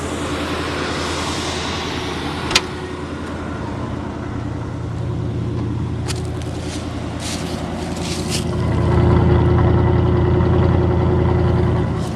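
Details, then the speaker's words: 1979 Hurst Olds with original 350 Olds V8, sat 9 years, still running on old gas: steady, even idle with a deep low rumble and no misses or knocks; sounds healthy. "Sounds good. Stinks like old gas, but it's still running on the old gas."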